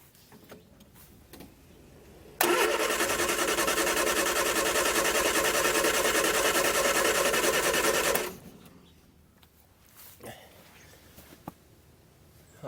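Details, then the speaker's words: Barn-find Triumph Spitfire with rebuilt carbs cranking steadily, about three turns a second for six seconds, without catching; fuel pump not pumping, fuel starvation from filter clogged with coffee-ground-like debris and a dead pump. "I'm gonna check out the fuel pump now it's not pumping any fuel"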